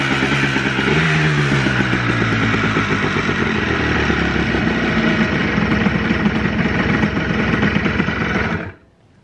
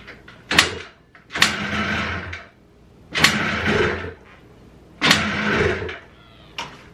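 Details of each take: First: Two-stroke Blaster after the float plunger leak was fixed and a missing throttle jumper was reconnected for the TORS issue. A crisp burble holds a steady idle with light revving, then is switched off. It idles cleanly and evenly. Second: Blaster two-stroke after a float and float-bowl plunger fix pops and sputters in uneven bursts, nearly stalling; idle air screw misadjusted with too many turns out; rough low idle from misadjusted idle air screw.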